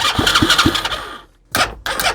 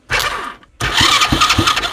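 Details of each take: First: Used Chinese 125cc engine with rewired harness, kill switch and old CDI: starter cranks steadily at about three beats a second in two bursts, never catching; no spark at all. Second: Used Chinese 125cc engine, rewired and on a 12-volt motorcycle battery, oil leaking at seals and head gasket: two short cranking bursts with an even chug of compression strokes, so the starter turns freely with compression. Normal cranking.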